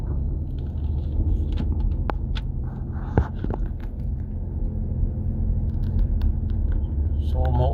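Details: Nissan Patrol Y62 driving: steady low droning hum under road rumble that holds with road speed, from a worn rear wheel hub bearing, later replaced.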